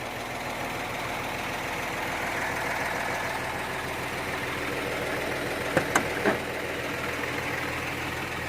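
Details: Hino giant-face six-wheel dump truck with a HO7C 195 hp diesel: steady, even idle with no knocks or misses and a couple of light background clicks; described as very quiet and healthy.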